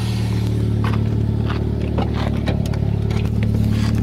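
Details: Toyota Caldina ST215 3S-GTE with Link Storm ECU, no-start fixed by repairing earth faults, first start after two years parked: catches and holds a steady, fairly even idle with light clatter around it; normal idle.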